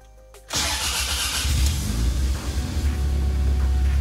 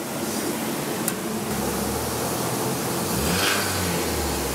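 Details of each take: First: Toyota RAV4 project after its sludge-filled engine failed, first start of a replacement Camry engine from a wrecker: quick catch, steady low rumble settling to idle, no knocks or ticks, good oil pressure, running on four cylinders. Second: Toyota RAV4 build after a hard dyno run: rough idle with a loose metallic rattle over the engine note. The engine is tired, rattling from low oil pressure in a sludged engine.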